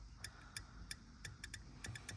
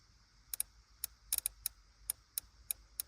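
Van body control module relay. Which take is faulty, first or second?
first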